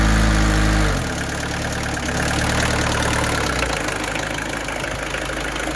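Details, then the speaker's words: Peugeot 205 diesel, new battery fitted, cold start: catches after a couple of throttle blips, then settles to an even, steady clatter at idle with no misses; sounds healthy. "that's what a diesel sounds like right what the owner had to do there was rev it a little bit to get it started that may be because it has not been ran in quite a while it's quite natural with any engine"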